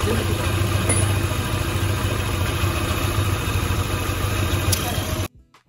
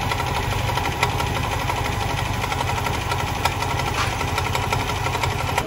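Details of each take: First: Old Yamaha Aerox scooter that came in with an oil leak and noisy engine, after an oil change and reassembly: steady, even single-cylinder idle, low regular putter, no ticking or knocking, normal idle. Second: Old Yamaha Aerox scooter with an oil leak: rough clattery idle with light metallic top-end ticking; possible causes listed include cam chain tensioner, slack cam chain, valves, worn camshaft or its bearing; finding: worn camshaft and failed tensioner.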